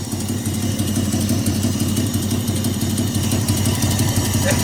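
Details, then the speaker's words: Father's Jaguar fired up on a Sunday morning: lumpy idle with steady chuffing pulse about three times a second; suspected spark issue making it rough and exhaust blowing, not confirmed. "Oh, you got you got a spark issue here. D making it a bit rough. Sounds like your exhaust is blowing."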